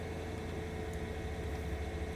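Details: 2003 Mercedes SL500 V8 at an IAA auction, 45,969 miles, just after starting: quiet, smooth hum with a faint steady whir, no ticks, knocks or stumbles; sounds perfect, clean idle.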